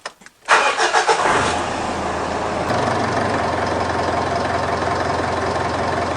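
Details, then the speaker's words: Mitsubishi Triton 4D56 diesel with cold-morning hard starting, battery tested good (98% charge, 79% health): strong steady cranking, voltage dipping only to 10 V (limit about 9.6 V), then clean start and even idle; normal cranking and start. "the cranking is normal it only went down to ten volts which is good shouldn't go down any lower than about nine point six volts"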